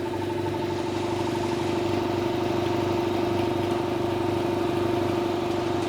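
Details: 200 L 3 hp single-phase belt-driven air compressor after service with the cage refitted. It is quieter, with an even hum, a steady mid-pitched drone and a smooth pump beat, and no slap or squeal: healthy running.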